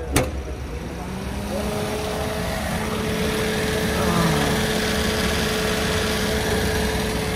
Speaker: Oke ini mesinnya suaranya aman lah ini mesinnya